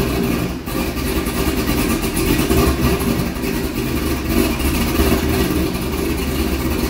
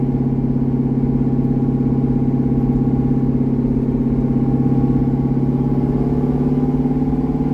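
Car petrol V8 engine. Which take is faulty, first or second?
first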